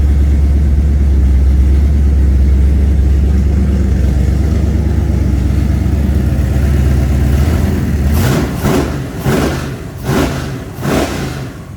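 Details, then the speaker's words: Chevy Nova small-block 350 with Holley Sniper EFI, running on open headers: loud, even rumble at idle with no miss, then a few throttle blips that rise and settle cleanly; sounds good. "okay so it sounds good that it's running and it sounds you're like I don't even hardly hear it look that's open headers"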